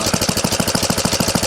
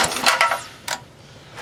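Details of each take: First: 1970 Rupp Scrambler single-cylinder idling with the clutch and brake removed: even, steady firing of about seven beats per second with no knock, confirming the earlier idle knock came from the old Max Torque clutch. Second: 1970 Rupp Scrambler small single after its gas tank was cleaned: revs up then fast, uneven smacking about four per second; much more power and runs fine, but the cause of the smack is unknown; possibly a worn, sloppy clutch.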